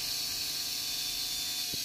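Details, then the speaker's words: Preethi Zodiac MG 218 mixer grinder after bearing service, run on direct line holding a cutting blade: steady high whirr, smooth, no sparking, scraping or rattle; about 90% of the earlier noise gone; normal. "கொஞ்சம் கூட sparking இல்லாம சவுண்டே இல்லாம ஸ்மூத்தா விழுதுங்க இந்த sound நார்மலா வருங்க"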